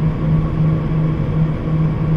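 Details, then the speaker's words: Refrigerator running after first start in two to three days, freezer set to minus degrees, mic placed inside with items stored: low soft hum with gentle regular pulse and even airflow, no rattling or knocking; normal compressor hum, no problem. "इस type की आवाज़ आएगी तो सुई problem नहीं है"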